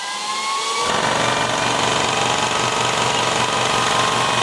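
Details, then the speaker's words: GT MAX 800-watt electric PCP compressor (220V, fan-cooled, 310 bar max) set to 2500 to fill a scuba tank: it starts with a loud, steady pumping rattle about three beats a second; normal running. "Nah, pada saat nyalakan suaranya akan berisik."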